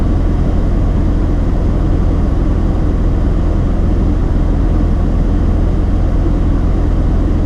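Low, uneven idle with a loose stumbling beat about three times a second; warm misfire traced to wrongly wired injectors.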